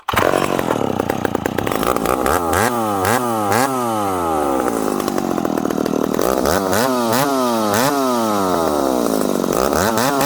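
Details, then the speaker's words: Ported full-house McCulloch Super Pro 70 (70cc) chainsaw, 32-inch bar, tuned zippy, cutting hard wood: screams freely between cuts, then revs sag and labour each time the bar bites; lacks pull compared to an 850, cause not confirmed. "this is a 70cc saw uh it's turned up to be a little bit more zippy it doesn't have the pull of the 850 it just doesn't"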